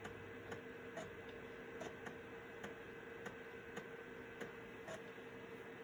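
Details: Citizen W1D floppy drive in a Compaq Armada 7770DMT after belt replacement, copying system files to a 1.44 MB diskette: crisp head-step ticks every half second or so over a faint motor hum in a quiet room; normal floppy drive write operation.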